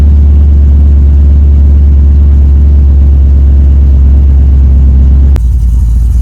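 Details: Wagon LS-swapped with a 6.0 V8, Texas Speed cam and 4L85 transmission: deep, even idle with a steady firing beat and no knocks or misses before shutting off; healthy engine.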